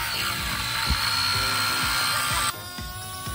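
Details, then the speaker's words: RC K170 UH-60L Black Hawk helicopter after a crash into the ground: harsh, raspy high-pitched whir with an uneven rattle over the motor whine; something inside is damaged, but it still flies. "Oh my god, that sounds terrible. Oh my god. Yeah, something is uh something a little wonky up inside of here, but I still think it flies."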